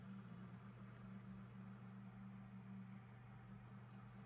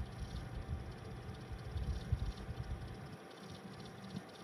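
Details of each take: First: PC case fan after lubricating its bearing without disassembly, previously making extraneous rustling and rattling noises: soft, steady low hum, quiet and normal with no rustling or rattling. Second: Running desktop PC case fan: uneven low rattling flutter over its hum; dry sleeve bearing in case fan.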